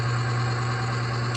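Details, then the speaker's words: Oil additive load tester running on oil treated with UHP Innovation HP shot, holding 12 weights: constant, clean low hum with no scraping, chatter or grinding; smooth running under load. "You can hear it, how smooth it is."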